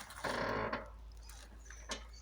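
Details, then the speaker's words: Lowered Alfa Romeo, rear right side, suspension warmed by driving: short dry half-second creak as the rear is pushed down; suspected suspension mounts left untightened after lowering. "now I sit on it, and I push up. This is the noise, and it's most here on the right side."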